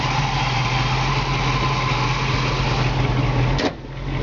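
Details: 1969 Pontiac Firebird convertible, freshly rebuilt engine with Edelbrock air cleaner and valve covers: deep, even idle with a constant low note and no misses, ticks or knocks; runs perfectly, normal idle.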